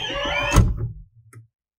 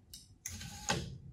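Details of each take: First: 2007 Toyota Avalon rear sunshade (curtain) after repair with no new parts; it had been stuck up and would not respond to the switch. Smooth, steady motor whir ends with a soft thud at the stop, then silence; the shade now travels normally. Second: 2007 Toyota Avalon rear sunshade motor, driven by reversing wire polarity: sharp, irregular mechanical clicks after the curtain reaches its fully raised stop; nothing found binding.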